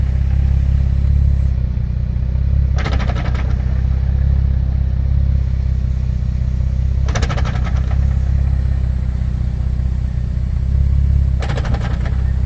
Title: clunking noise 350z